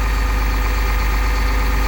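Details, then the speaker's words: 2001 Cummins 8.3L ISC CAPS diesel in an RV after faulty engine speed sensor fix, no codes, set to fast idle about 1000 RPM via cruise control: loud steady low rumble, no misses, knocks or hunting; running healthy. "let's go to a fast idle it's pretty cool turn the crews on hit the set puts it at a thousand RPM"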